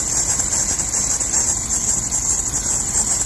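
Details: Steady idle with a constant shrill, high squeal that never changes pitch: a dirty, glazed, slipping serpentine drive belt at the pulleys, before cleaning it with a soft steel brush.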